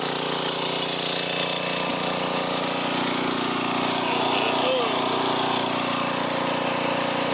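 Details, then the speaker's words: 1990s Sears Craftsman 2400 W generator after a splash of gas in the carb, on choke: steady, even small-engine drone at constant speed with no misses or knocks; fires right up, running normally and producing power. "Got it running. Fires right up."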